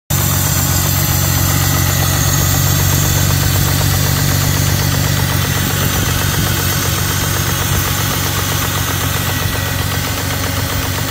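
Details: BMW E46 petrol engine at idle: a rough, pulsing rumble with faint knocking under a steady low hum.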